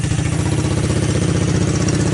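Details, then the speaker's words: 1984 Honda ATC200S single-cylinder engine just after a cold start, recoil starter repaired; quick, even putter at steady idle, no misses or knocks, no smoke; normal cold idle. "Yeah, this was, obviously it's a cold start. Still cold, obviously."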